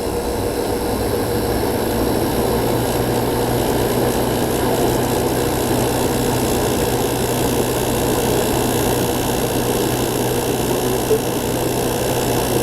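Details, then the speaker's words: New old stock 1988 Sears Kenmore 6000 BTU R22 window air conditioner on power saver, run after a year unused: even steady compressor hum, low buzz and soft fan rush, no rattles; running healthy. "already hear the refrigerant flowing good old r22"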